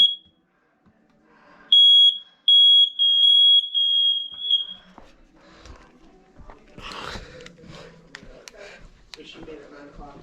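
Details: Monthly home test of the upstairs bedroom smoke alarm, with music playing in another room: a loud, piercing high chirp, then a quick run of sharp short beeps, then only room noise; the alarm sounds as it should.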